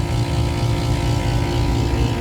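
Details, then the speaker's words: AC compressor on a tripped-breaker call, oil around compressor, contactor looks bad: steady heavy low drone with uneven lumpy throb, compressor sounds like it's dying; terminals intact, oil possibly from pressure control. "Oh, this compressor sounds like death."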